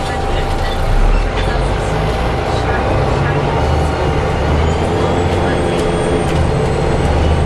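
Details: Onboard Arriva Yorkshire Alexander ALX400 bus, fleet 665 (W665 CWX), on service 410 from Leeds to Stourton: faint steady mid-pitched howl over the rumble and road noise while running. The source of the strange howl is unclear.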